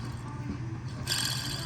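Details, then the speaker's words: 2014 Honda Accord 2.4 L: removed old belt tensioner pulley spun by hand gives a dry, gritty whirring; the bearing inside is bad, causing grinding while running; new tensioner spins smooth and silent. "and you can hear the noise so very rough so the bearing inside is bad"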